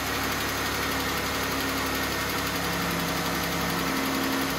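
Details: Jeep Wrangler 3.6 L V6 at idle: faint fast ticking on a steady idle, worsening over the past month; suspected lifters and rocker arms, likely one side, replacement parts bought.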